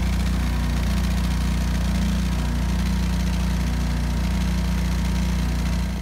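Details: 12kW backup generator after exhaust repair: even, steady low-pitched thrum, no ticking, puffing or rasp at the exhaust; runs smooth and sealed, significantly quieter.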